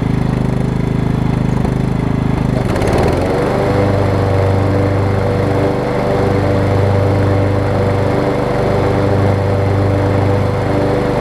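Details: Over-20-year-old Craftsman riding mower, Kohler Command engine, on a test cycle after the wrongly fitted deck belt that locked the engine was refitted: steady, even drone with a smooth rhythm, no knocks or slipping squeal; normal running.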